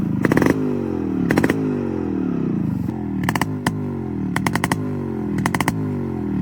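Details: Restored Yamaha RX 135 two-stroke with its original engine and an RX-Z exhaust fitted: sharp throttle blips, revs falling away smoothly each time with crisp crackle on the overrun; clean, healthy running.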